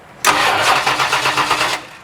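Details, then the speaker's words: 1972 Mustang Mach 1 after MSD Atomic fuel injection install: starter spins briskly with even chugging but never fires; fuel only just starting to reach injectors, being primed by key cycling. "It's just now starting to come out. Not very much though. Go ahead. Yeah, I was just gonna I'll prime it a couple more times."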